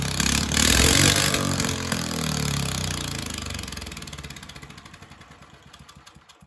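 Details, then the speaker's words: 30 hp mini bike (65 mph build) on its first start, belt removed, given gas with carburetor still untuned: revs and runs briefly, then firing slows into separate puffs until it dies; owner believes it ran out of gas. "That's okay though. I'll figure it out. It's probably out of gas. Yeah, it's out of gas."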